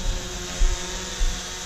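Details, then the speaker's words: RC136FGS brushless GPS quadcopter hovering close up: a steady, even rotor whir at constant pitch with no rattles or surging; quiet, healthy motors. "not bad actually really good the LEDs look really good nice and quiet plenty of power"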